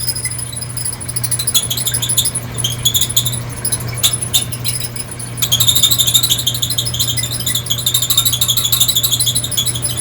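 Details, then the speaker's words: Squeaking dryer on air fluff with heating coils off: high chirping squeak about three times a second, thought to be from a rear drum support wheel, over a lower constant squeak thought to be from the belt tensioner wheel. "I think that higher pitch squeak is that wheel there and the lower constant pitch sweep is that tensioner wheel"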